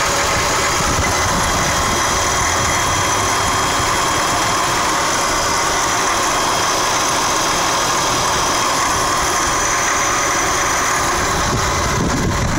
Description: RX-8 Engine noise